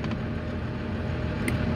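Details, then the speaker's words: Volvo EC480D excavator diesel, accelerator dial turned up and unlocked, after changing the filter: steady, deep drone holds strong at raised working RPM without dropping back to idle, problem (RPM falling to idle after 10–20 seconds of operating) solved. "so viewers you can see the our machine is operating and it's getting the RPM as much as he needed so it means our problem has solved"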